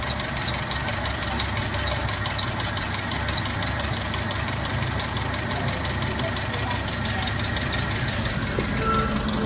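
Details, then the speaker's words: Hyundai i10 at idle with a loose gearbox mount bolt: rough, shaky buzz and uneven rattle as the whole engine shakes; felt when accelerating, braking or pressing the clutch. "गाड़ी चलाते हैं तो जैसे accelerator देते हैं तो engine पूरा हिलता है गाड़ी में महसूस होता है और जब ब्रेक लगाते क्लच दबाते तब भी महसूस होता है कि इंजन में कुछ हिल रहा है"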